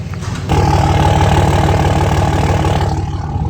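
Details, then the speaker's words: 3rd-gen Cummins diesel pickup idling just after start, before backing out of the shop: deep even diesel clatter, steady with no misses or knocks; sounds good, normal idle. "Thing sounds good. Put it in reverse."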